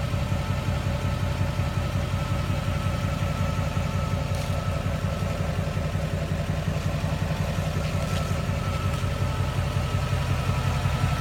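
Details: Duramax diesel, transmission and engine at operating temperature, in park idling, heard from the driver's door area: even low rumble with a thin, steady whine above it, cause unknown.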